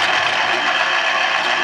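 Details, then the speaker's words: Chef's Mark electric citrus juicer, bought around 2002–2003 and flawless since, reamer spinning either direction while juicing limes; steady buzzing rattle with faint ratchet-like clatter it always makes; normal motor and reamer noise. "Like I said, this could spin in either direction. That time it goes that way, and it always makes that sound."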